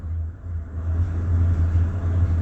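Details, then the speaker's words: 2007 Ford F350 with Triton V10, no check engine light; misfire: uneven stumbling rumble that smooths briefly as throttle opens then returns; cylinder 7 missing, coming in and out with a little gas; several cylinders missing; cause unconfirmed. "Cylinder 7's missing, but it probably clear up. Give it a little bit of G. Yeah, it tries. It's coming in and out."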